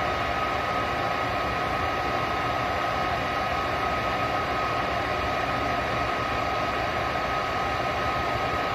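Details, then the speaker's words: 90% gas furnace with a no-heat fault, fired up after the gas valve was replaced and air purged from the line: a steady, even rush of burner flame and inducer fan with a faint tone, no surging or rumble, running normally. "it'll probably probably try two three four times before we get the air purge out and uh yeah once we get gas to it she should be should be rolling along"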